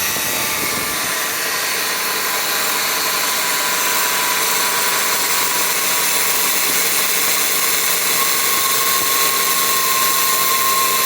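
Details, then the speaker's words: 2017 Subaru Forester, about 20k miles, idling: harsh, hissing whir from the AC compressor that grows louder; AC not cooling, dealership found bad condenser, replaced under service program. "see the noise is getting louder and louder this from the compressor for sure so out here the noise is pretty loud"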